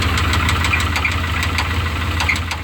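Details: 1988 Chevrolet C1500 Silverado 305 V8 at idle, before an oil change: sharp metallic knocks, roughly three a second, stand out clearly over the idle. A heavy engine knock of unknown origin.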